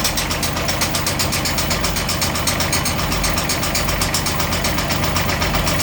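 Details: A Beta 25hp marine diesel at 700 hours is started and stopped repeatedly. At idle, a sharp, regular knock taps through the engine's steady clatter.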